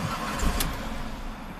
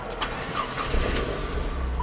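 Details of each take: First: 2005 Chrysler PT Cruiser 2.4 L turbo, 5-speed manual, intermittent start-stall after a shop found wiring damage and replaced the crank sensor. Engine catches briefly, then sags and dies within a second or two; cause not yet found. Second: 2005 Chrysler PT Cruiser 2.4 turbo, 5-speed manual, with an intermittent start-stall fault after crank sensor replacement; cranks briefly, catches at once and holds a steady, even low idle before later stalling: normal start and idle.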